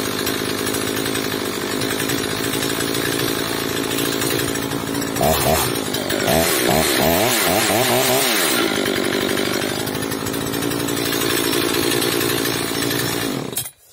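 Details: Oleo-Mac 947 chainsaw, previously stalling off choke from air leak, after fitting a tube and readjusting idle and high mixture: clean steady buzz, revs up and down smoothly without stalling off choke; normal running after repair.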